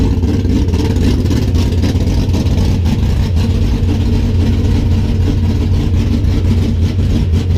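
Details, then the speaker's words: 1973 Duster engine idling after reinstalling resurfaced heads: deep, steady idle with even low rumble, no ticking or knocking; runs smoothly, small valve cover gasket leak to tighten, owner hopes no more water in the oil. "Well, that's the startup on the 73. Got a small leak right there. Got to tighten up that valve cover gasket. But it sounds good."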